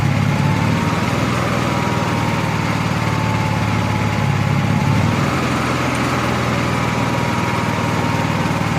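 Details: Honda EXW171S gas welder/generator after fuel system restoration; earlier odd running thought to be choke-related. Steady, even drone at constant speed with a faint high tone above it; runs smoothly without knocks or misses.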